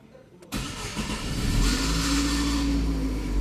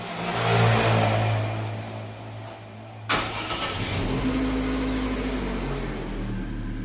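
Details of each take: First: 2011 Chevrolet Prisma (same as Corsa/Celta) cranking: a harsh metallic scrape over the crank before the engine catches, diagnosed as a faulty starter motor. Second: 2011 Chevrolet Prisma after repair of a starter that scraped on cranking: brief clean crank, engine catches at once and idles steadily, noise gone; cause was a dry, dirty starter, fixed by cleaning and lubrication.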